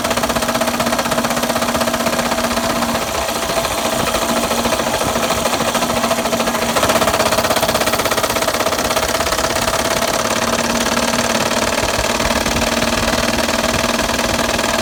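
Running engine with a fast, hard metallic knocking over a buzzing idle, typical of rod knock. Cause suspected, not confirmed.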